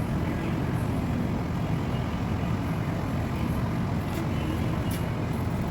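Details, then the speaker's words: Petrol engine idling, customer reporting low power: choppy uneven low rumble with noticeable shaking; OBD scan shows misfire on cylinder 4, checked by swapping plugs and coils. "Upon verification, we observed noticeable engine shaking, which confirmed the symptoms."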